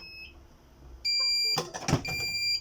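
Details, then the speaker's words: Birch CP-Q3 receipt printer, cannot cut: high continuous beep with error light blinking under handling clatter. Covering the paper sensor doesn't stop it, so not a paper error; points to the cutter switch. Fix needs cables removed and base opened. "This is a continuous beep one. As you can see, it's still beeping."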